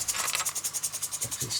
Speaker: starting to wind down now. the engine is starting to wind down.